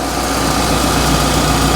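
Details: Peugeot RCZ-R running after a service and a new rocker cover gasket, about to warm up: a smooth, even idle with a steady hum and no ticking or knocking; engine running as it should, no oil leak seen.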